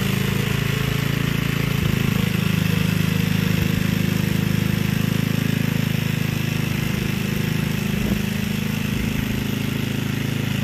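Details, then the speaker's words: Gilson rear-tine tiller, a junkyard find from 4–5 years back, test run after cleaning dirt out of the sticky recoil. Even low drone with a rapid steady beat, dipping slightly as the tines bite soil. Runs strong and healthy. A fuel leak was noted at the tank/carburetor seam. "Alright, go ahead, get her. She ain't pretty, she works."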